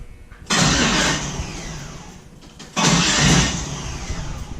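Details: 1974 Chevy Nova with twin-turbo 5.3L LS (L33), fuel pump disconnected: two strong, even starter cranks without firing. Cranks fine after neutral safety switch wires were jumpered; clicking blamed on the microswitch or its wiring, not the starter.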